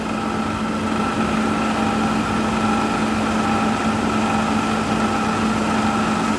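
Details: LG 10,000 BTU window air conditioner fitted with a makeshift blower wheel instead of a proper condenser fan, blowing 72° into a 76° room: steady even hum with an airy rush, no knocks or rattles, running normally.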